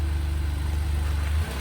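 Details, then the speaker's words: 2015 Lexus (announced as RS350), started with a jump: low, smooth, even idle hum with no knocks or ticks and a steady note; very quiet and started easily. "You can hear that it was very quiet and started up very easily with the jump."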